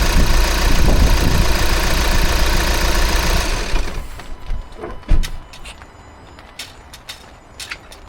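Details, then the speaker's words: VW T5.1 van diesel after replacing the N75 boost-control valve: run a few minutes, then shut off cleanly with no mooing noise afterward; the new valve appears to have fixed the shutdown moan. Normal engine shutdown. "No mooing noise, but I'd say that that has fixed it."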